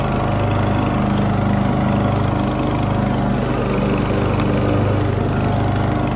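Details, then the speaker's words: Poulan XT gear-drive 42-inch lawn tractor single-cylinder after new spark plug and adjusted idle and mixture screws on the aftermarket carburetor: steady, even drone with no misses, pops or surging; idle smooth. "I got it I got it tuned up so it's running like a top now the idle is smooth"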